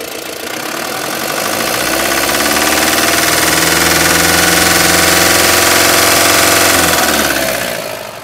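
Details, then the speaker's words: Mahindra Bolero Camper 4x4 pickup diesel with EGR fault, just started at idle: sharp, regular metallic knock about 220 per minute; oil is low, with carbon and metal debris in it. Engine knock from metal debris in oil, before an oil change. "हमने अभी-अभी गाड़ी start की है। आपने engine की आवाज सुनी। तो, इससे आने वाली आवाज टैंक की तरफ से आ रही है।"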